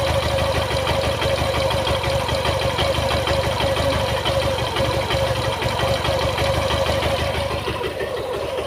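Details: Suzuki Gixxer FI motorcycle at idle: steady idle with a fast, slightly uneven ticking chatter over it; owner reports an engine sound problem, cause unclear; abnormal engine noise.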